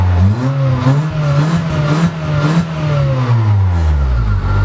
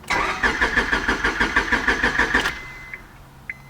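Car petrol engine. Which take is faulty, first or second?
second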